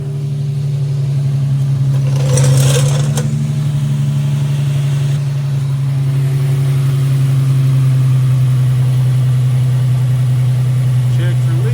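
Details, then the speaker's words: Nissan 350Z, just after oil change and battery revived, no check engine lights, oil pressure about 60: steady even low idle holding one pitch, no knocks, misses or rattles; normal idle, sounds much better than before. "Hope for the battery back to life. That sounds a lot better than it did."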